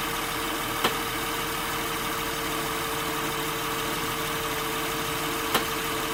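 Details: 2006 Acura TL, in park at idle: two sharp separate clicks about five seconds apart while turning the steering wheel; internally binding steering rack, confirmed with stethoscope on a lift, fixed by replacing the rack.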